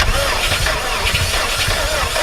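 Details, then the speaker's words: 1995 Nissan 240SX S14 after a new alternator and a new starter, on a jump pack with a low battery: the engine cranks evenly but never fires; a fuel problem is suspected, not the starter. "It's not your starter. Sounds fuel."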